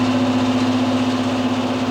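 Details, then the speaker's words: ProLine 1300 CFM inline range hood blower at high speed after rebalancing (folded Post-it shim fix for vibration): steady airy whoosh, constant low tone, no wobble or rattle; smooth, quiet, balanced running. "hopefully you can hear that in the video and the video picks that up now that it's balanced we just get that nice smooth up"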